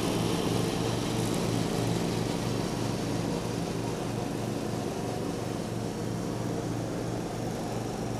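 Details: 1989 John Deere RX75 riding mower cutting grass: an even, steady engine drone with a regular pulse that holds its speed and runs clean. The deck may be cutting a little low; it is running normally under load.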